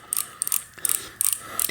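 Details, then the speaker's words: 2000 Trek 6000 with a Shimano FH-C201 freehub, sticky and letting the chain slacken, turned by hand while being flushed and oiled: crisp, even ratchet clicks that get quieter as the pawls are lubricated. Normal freehub pawl clicking. "and you'll notice that the the pawls will get a little quieter as they get lubricated"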